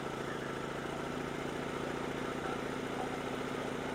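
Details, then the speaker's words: Portable generator with a replaced carburetor and old gas, started cold and running on partial choke: an uneven, lumpy chug with popping and smoke, expected to smooth out as it warms and the choke comes off. "So, you can see it's it's popping and carrying on right now. the the smoke. That's an old gas. So, we're slowly going to take it off a start or choke"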